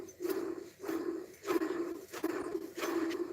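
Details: Old water pump off a 2009 Dodge Ram 1500 5.7 Hemi, spun by hand: rough, gritty growl in short bursts about every three-quarters of a second; worn water pump bearing.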